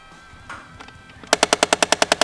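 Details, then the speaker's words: 2008 Nissan Xterra Off Road, ignition on: sharp evenly spaced clicks about eight per second from the HVAC blend door actuator above the cabin air filter, trying to move past its stop. "It's the blend door and that gets hooked up. It's trying to move further than it can and it makes this clicking noise."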